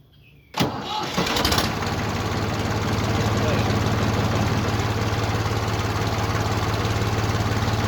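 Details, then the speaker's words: Old Ford 4500 backhoe diesel, cold start after the glow plugs are run. Silence, a short crank, then it fires within a second and settles into a steady, even low diesel idle; it usually lights right off and runs great. Normal diesel cold start. "Okay, this is a cold start on the 4500. Hope you can hear me. I'm going to, of course, turn the glow plugs on for a couple of seconds, maybe a minute or so, and then I'm going to go ahead and fire it up."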